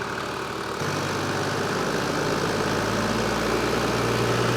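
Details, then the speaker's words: Toyota 80 series Landcruiser diesel, idle and light rev while checked for noisy tensioners: smooth, with no squeal, whine or chatter from belts, pulleys or water pump; belt drive running true and healthy. "Yeah. Fine. Everything there's happy. Not even a sound. >> A good. Yeah. Everything's running true."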